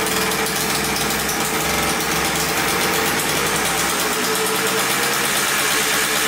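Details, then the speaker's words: 1989 Yamaha Blaster 200cc two-stroke, freshly rebuilt engine on first runs: idles high and busy with raspy buzzing, revving up on its own; owner suspects an air leak, carb cleaner spray around carburetor and flywheel showed nothing. "all right it runs good but then it revs up i have nowhere like it's not getting gas but it sounds like an air leak to me"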